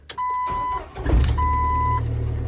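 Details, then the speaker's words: 1998 Jeep TJ Wrangler with intermittent no-start (loose battery terminal and corroded starter wire already fixed), key turned slowly: steady chime, brief crank, catches at once into an even idle; normal start this time, failing ignition switch suspected. "right, it started right up that time. Let's try to start the vehicle slowly. All right, it's starting right up. No hesitation at all."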